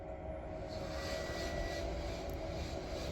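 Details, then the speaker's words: Fiat 500e with a temporary resistor setup in place of the faulty connector, in drive with wheel spinning freely through differential: steady even whine with faint higher tone, no grinding or knocking; drive motor normal. "well it's spinning on the other side from the differential I can hear it there we go well heck yeah so that confirms it that's our issue indeed"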